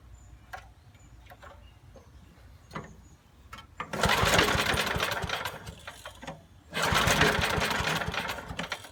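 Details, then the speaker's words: 1980s Billy Goat vacuum, turpentine-smelling old gas drained, fresh gas and carb cleaner added: two recoil pulls give rough whooshing churn but no start; little spark seen, cause suspected, not confirmed; no-start cranking. "doesn't seem like it's sparking which I don't understand it did yesterday oh a little bit of a spark not much"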